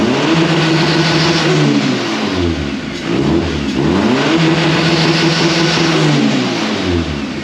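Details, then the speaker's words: K11 Nissan Micra Super Turbo time attack car after swapping in a crank sensor from a spare engine: fires right up, revs rise and fall cleanly through blips with even firing; running normally. Owner suspects wiring or a loose pin keeps killing crank sensors. "sensor over from a spare engine that we had and it fires right up no problems at all"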